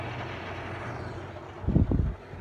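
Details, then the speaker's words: LG window air conditioner in fan-only mode, compressor off: a low, steady fan hum with a short burst of splashing as the blades flick leftover water, which the owner thinks is in the condenser; normal operation. "usually uh when the fan comes up there it goes you hear it"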